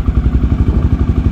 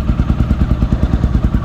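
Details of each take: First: 2008 Honda Twister 250 single-cylinder, which was hard to start and wouldn't hold idle, after a slight carburetor idle-screw adjustment with the fuel tap open: an even, steady idle thump with no stumble or hunting, now holding idle normally. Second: 2008 Honda Twister 250cc single-cylinder motorcycle with hard starting and poor idle, during carburettor adjustment after tightening a clamp: loud, lumpy idle with uneven stumbling beats about three per second; mixture now too rich. Rich idle mixture.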